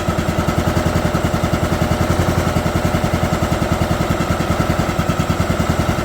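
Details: 2011 John Deere D110 mower, engine reassembled from boxed parts, restarted off choke, throttle cable not hooked up, expected to smoke: even single-cylinder thumping about 3.5 beats a second, smooth steady rhythm; runs good.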